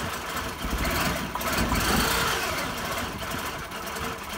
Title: 5VZ-FE Running rough after head gasket replacement